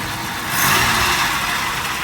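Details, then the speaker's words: 1989 Buick Riviera 3800 V6, about 90,000 miles, water pump pulley seized and belt off, run only briefly; brief blip from idle, smooth and even with no knocks, ticks or rattles, sounds like a healthy typical 3800. "doesn't sound bad sounds like a typical 3800"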